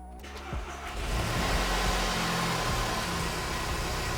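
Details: 2007 VW Jetta GLI (Mk5) 2.0T FSI EA113 with intermittent oil pressure loss and code P000A camshaft positioner slow response; engine fires and idles with light rapid tapping following revs, mic in engine bay; oil pump drive chain failure.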